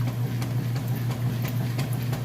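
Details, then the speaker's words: Kenmore washer with a heavy load: steady low hum with even back-and-forth sloshing and light ticks, no banging or knocking; strong, normal agitation. "it's not got a nice strong agitation"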